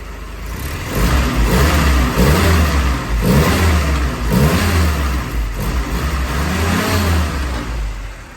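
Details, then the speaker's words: 1942 Ford GPW Jeep, warm start after new exhaust kit: small petrol engine revs up and down in repeated blips, smooth and even, no misses and no exhaust leaks; healthy engine. "she sounds good and healthy don't hear any miss or anything like"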